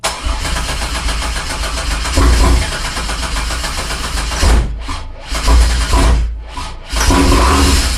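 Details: 1987 Fiero GT with swapped 3800 supercharged engine: rapid even starter cranking with a few brief catches that die immediately; only starter fluid, so no fuel supply and no start.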